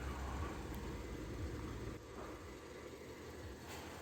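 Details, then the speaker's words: 2019 Peugeot 5008 1.6 THP 16V turbo, warming up at idle, in for an oil change; owner complained of noise at first morning start, oil check valve behind cylinder head suspected: quiet steady hum, no knocking or ticking, smooth idle. "Peugeot 5008 já tá funcionando vamos deixando aquecer aqui"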